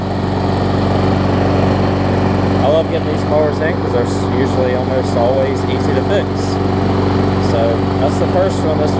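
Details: Bolens mulching mower after a full tune-up, new air filter, blade sharpening, pull-cable clamp fix and new carburetor diaphragm; steady, even speed with no surging, misses or knocks, sounding healthy.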